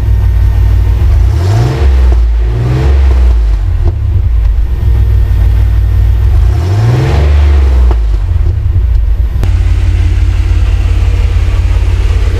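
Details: 1994 Chevrolet S10 Blazer 4.3L V6 with a newly installed 2.5 Cherry Bomb Salute muffler and turn-down tailpipe: deep, throaty exhaust rises and falls smoothly through several revs, then settles to a steady idle with no leaks heard; healthy exhaust note.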